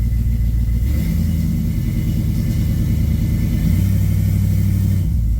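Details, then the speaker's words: 1967 Camaro small-block V8 with FiTech injection, after regapping spark plugs that were too narrow or too wide to 0.045 in: a deep, even rumble lifts cleanly and settles with no stumble or misfire at part throttle, stumble fixed. "Oh, that's so much better. By George, I think it's fixed. a spark plug. Of all things, it was a spark plug."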